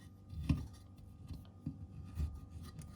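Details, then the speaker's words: Worn bearing in the split crankcases of a 1997 Husaberg 400 FE engine turned by hand during restoration: dry, scratchy grating in rough bursts, binding at tight spots; needs replacing, one of four of seven bearings found bad. "Ça gratte de partout, ça bloque, il y a des points durs."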